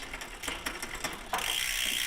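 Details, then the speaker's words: eBike drivetrain: quick irregular ticking and clicking as the chain jumps around, not staying on the cog, then steady spinning hiss; chain skipping caused by incorrect shifting cable tension. "ear that clicking noise and you can see that the chain's kind of jumping around not really staying on the gear very well. So that's kind of a sign that the tension of your shifting cable is not quite right."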